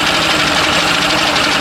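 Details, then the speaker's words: Mercury Classic 50 outboard, free motor being revived: fast, buzzy, even idle with crackly high rasp keeps running and won't shut off; owner guesses a kill wire probably grounds out, so fuel is disconnected to let it run dry. "So, it just it just runs. I don't I'm guessing one of these wires probably grounds out, I would say."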